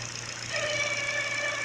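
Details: Engine at idle with a newly fitted Contitech timing belt: a thin, steady, high-pitched whine over a quiet idle. The owner suspects the new belt; unconfirmed.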